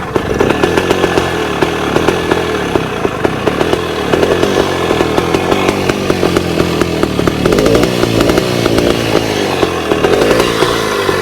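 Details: 1966 Bultaco Lobito two-stroke motorcycle, woken after a year's storage: crisp rapid crackle held steady with small throttle blips, firing clean without missing or bogging; normal running. Gearbox kicks out of second, unrelated.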